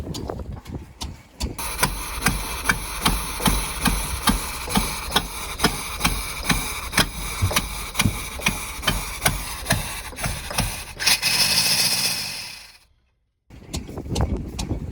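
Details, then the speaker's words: Roughly 1983 Sportscoach RV with 454 big block and Turbo 475 transmission, sat 12 years: after key-off the engine keeps chugging unevenly, about two to three knocks a second, before dying out; engine run-on (dieseling) after shutoff, with throttle cable sticking. "And now it's doing its weird thing where it don't turn off."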